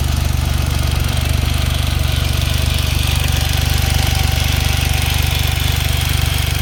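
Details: Smart Roadster engine at idle: crisp, even clacking about three and a half per second over a steady hum; owner unsure if normal, suspects valves or timing chain.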